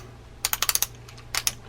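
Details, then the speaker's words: Vintage Daiwa AG2600X spinning reel being cranked: sharp, dry clicks in quick bursts. The rotor rocks as it loosens, so the pinion gear doesn't mesh firmly with the main gear; grease quieted it but the rock remains. "Yeah, it's a little noisy. And the reason for that noise is well, as it's rocking this way, that pinion gear below is not getting a firm mesh with your main gear."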